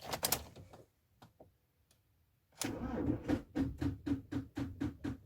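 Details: Ford Transit 115 350T RWD van won't start: rapid regular clicking about four times a second with no cranking. Problem recurring; full battery charge once cured it; booster in engine bay no longer works, but connecting directly to battery starts it instantly; starter seemed okay.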